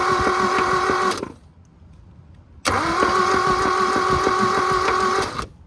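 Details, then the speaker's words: 1972 Toyota Celica, original 18RC engine, junkyard car sat over 20 years, 12V jumper wired to coil positive: two bursts of steady fast starter cranking with no firing; intermittent spark found, needs new plugs. "Now I'm gonna crank it over and see if we have spark."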